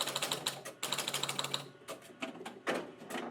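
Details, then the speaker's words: Electromechanical pinball machine after checking score reel switches for contact and reassembling, power cycled and game started; quick bursts of crisp mechanical ticks stopping cleanly; score reels reset and halt normally, fault isolated. "there we go, working. So this is a useful way of zeroing down into finding out what the specific problem is with the score reel."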